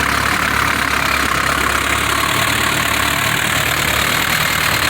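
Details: 1960 Mercedes-Benz 190D diesel after it suddenly stopped, now with new battery terminals and ground straps (4 and 2 gauge): steady, even idle clatter with no misses or hunting; running properly again.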